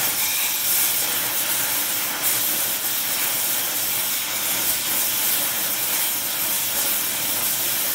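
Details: Small mixer torch on Air Products Integra oxygen/acetylene cylinders with integrated regulators and flashback-arrestor couplings, welding; setting 4 psi on a 380 psi gauge. Steady even roaring hiss, no popping or sputtering; normal torch flame.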